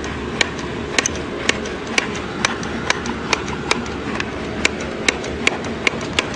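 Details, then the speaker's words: Honda VFR fifth-gen to sixth-gen throttle body swap, engine off: throttle released repeatedly, plates snap crisply shut about twice a second, all closing fully with cable slack adjusted loose; normal return. "so it's it's closing there they're all closing"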